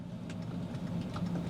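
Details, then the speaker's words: BMW 5 Series at idle with the offside rear window not moving: quick uneven clicks come from the glove box area, suspected to be a relay clicking; the cause is not confirmed. "I can hear it clicking from the glove box down here you can hear the relay clicking or something how strange"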